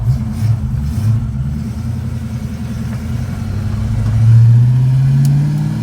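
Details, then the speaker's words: 1985 Ford Mustang GT 5.0 carbureted V8, after replacing the corroded ignition harness and cleaning its terminals, on a test drive: it pulls cleanly at wide-open throttle past 3000 rpm, with the earlier popping, backfire and hesitation gone. "oh yeah she running out now boy and she'd be popping and banging and parting before that must have been it all those corroded wires must have been restricting the voltage"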